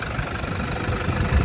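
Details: 2013 Toyota Fortuner 4x2 manual diesel at idle on engine start: even diesel idle with the usual light clatter over a steady low rumble, no irregular knock or miss; engine sounds healthy.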